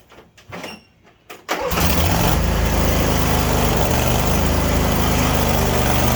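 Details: Craftsman YS4500 42-inch riding mower started after replacing the transaxle drive belt and idler pulleys. Brief crank, then a steady, even run with no squeal, grind or knock; no noise from the PTO or transmission drive.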